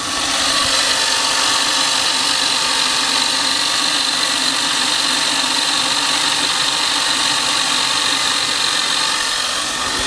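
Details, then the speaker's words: 1996 Mercedes S420 at idle with the air pump shut off, microphone brought to the pulley: loud, steady high-pitched whirring grind from the idler pulley, whose bearings are gone and need replacing; idler pulley bearing noise. "once air pump is off you're going to hear more of that pulley that needs to be replaced it's a common issue as well"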